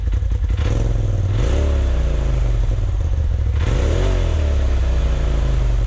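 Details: 2020 Polaris RZR Turbo S Velocity turbo engine after a Trinity Stage 5 slip-on exhaust install: a deep, steady idle with two clean blips, the pitch sweeping up and settling back each time; revs freely, normal.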